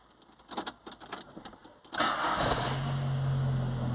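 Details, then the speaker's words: VW Gol/Saveiro starts promptly after a brief crank and settles into a steady, even idle, revving cleanly; a normal cold start while testing how the engine temperature sensor reading affects morning hard starting. "você vê como o carro pegou vou acelerar você vê o carro rasga Limpo"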